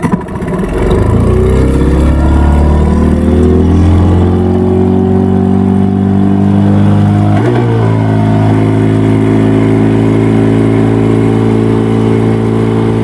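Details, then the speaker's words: Yamaha 15 hp two-stroke outboard, hard to start, dies and sputters when throttled: revs up unevenly with a rough wavering drone then hunts instead of pulling cleanly; caused by stuck piston rings and a dirty exhaust. "lalu kita dengar apakah mesin ini bunyi brebet kemudian tidak bisa naik gas, karena mesin ini dibawa tuannya sama saya lagi untuk diperbaiki."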